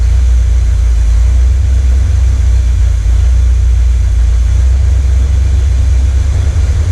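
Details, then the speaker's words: 1979 Corvette L82 V8 idling in neutral, hood down, after the choke opened: deep, loud rumble with an uneven, choppy beat. Smoke test found no vacuum leak; owner suspects a non-working carburettor idle circuit, with the transfer circuit compensating. "So I think since the idle circuit's not working, the transfer circuit's going whoosh, woo, woo. And I think that's the problem, because the transfer circuit's trying to make it up for the lack of the idle circuit, basically."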